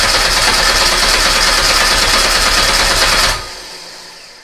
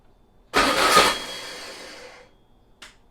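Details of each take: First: Old VW Beetle engine sat about two years, on a start stand with control box, coil off, about 70°F: even steady starter cranking about four beats a second, pause, then resumes to build oil pressure; healthy turnover, no knocks. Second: VW Beetle engine sitting two years, on a start stand with a new control box, about 70°F: brief crank, catches and bursts for under two seconds, then fades; not enough fuel squirted in.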